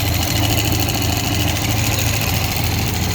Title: 4.3 engine knock